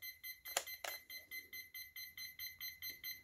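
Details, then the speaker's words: CSMI VLV360 RC hydraulic excavator: short high beeps about four per second from the speed controller, which is powered and ready but getting no radio signal, so it won't arm. "so if you're hearing that beep it means it's ready to go but there is no signal from the radio right"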